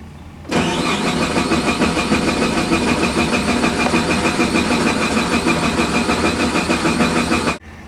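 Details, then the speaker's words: Suzuki Vitara crank no-start: the starter cranks evenly at about three turns a second but never catches. The scan tool shows no RPM and no injector pulse width while TPS reads, so the PCM can't time spark or injection; the cam sensor signal is faulty. "Now, you could hear it cranking. So, the crankshaft's turning, but we're looking here at RPM, and we're it's not seeing it. So, obviously, the PCM doesn't know when to fire the plugs and injectors."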